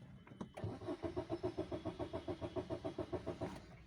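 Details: Maruti Suzuki Baleno diesel that shuts off after 100–200 km and won't restart when hot, no scan codes: steady starter cranking about three and a half turns a second never catches; fuel feed pump losing power as wiring heats up.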